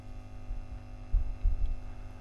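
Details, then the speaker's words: Vox 125 100 W guitar amp head, new output transformer tacked in: steady low hum and buzz, blamed on design flaw with capacitor underneath putting DC wiring too close to AC. "just listen to it buzzing away this is what I mean about design floor look at [Music] this the reason that's doing that is because we've got the cap underneath it we've got DC so close to AC"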